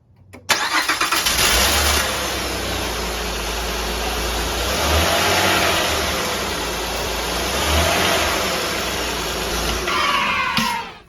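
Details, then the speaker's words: 2003-2008 Honda Pilot engine cranks, catches quickly and settles into a smooth even idle after alternator replacement; the earlier high whine that rose with engine speed is gone. "Perfect, looks like it's all fixed. So that whining sound went away, replaced the alternator, that was the culprit."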